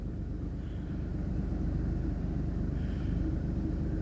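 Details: Jeep that sat since October and is almost out of fuel, idling after its start: an even low thrum at about 170 pulses a minute with no knocks or misses. A smooth, steady idle.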